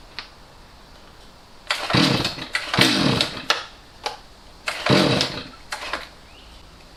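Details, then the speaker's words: Stihl MS250C chainsaw that sat years with bad fuel, its carburetor cleaned and rebuilt with the L and H screws turned out, no change: it barely idles and each throttle squeeze gives a sagging blat instead of a clean rev. Bad carburetor, bogging on throttle. "I'm going to start it up so you can see the symptoms it just bogs down"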